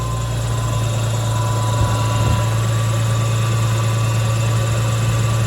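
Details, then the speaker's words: Nissan Skyline idling with a steady, even rumble and no misses, smoother than before, after the airflow meter was cleaned and the ECU reset by disconnecting the battery for five minutes; air box left off for the test; normal idle. "seems to be idling all right [Music] sounds good it seems idle smoother too"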